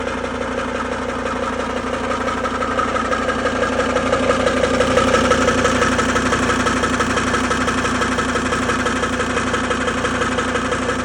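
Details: Volvo XC90 D5 diesel knocking at idle: a steady, regular knock about three per second above the usual clatter, unchanged throughout; cause not clear.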